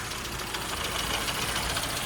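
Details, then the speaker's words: Late-model 998 A-series Mini road racer at idle: small four-cylinder beat stumbling and uneven with a papery top end; not the smoothest running, cause not yet traced. "And I'm not sure if you can hear that, but it's uh it's not it's not the smoothest running of engines."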